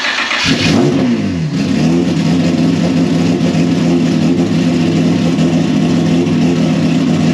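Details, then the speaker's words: First start after cylinder head work, new manual timing belt tensioner fitted and timing verified: engine catches and revs smoothly, even strong drone, no knocks or ticks; healthy, fuel pressure then adjusted. "That sounds really good out here. She is so fast. That sounded gnarly out here."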